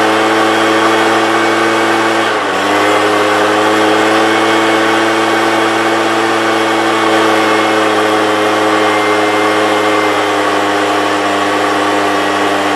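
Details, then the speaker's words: 1998 STIHL BR320 two-stroke leaf blower, about 24 years old: at full throttle it revs high, briefly sags, then holds flat without climbing, slowly reaching speed and gradually slowing while held open; power loss from a dirty carburetor. "It seems like when you give it full throttle, it slowly comes up to full speed. And even while holding it full throttle, you could feel it gradually and hear it gradually slowing down."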